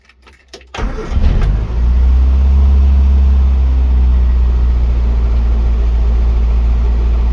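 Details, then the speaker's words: Morris Minor Traveller after misfire work, with spark plugs, HT leads, carb and coolant pipes refitted: catches after a brief crank and settles into a steady even low idle, no stumble or miss. "now we know that bit of the engines working"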